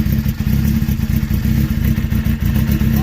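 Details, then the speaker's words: Suzuki GSX-R 600 SRAD carbureted bike that sat for years, just fired up, oil level unknown: rough-edged even low burble with no knocking or valve tick; healthy running engine. "Oh dude, it runs. It's 400 bucks. That's a good 400 bucks right there. There's no knocking. There's no valve tick."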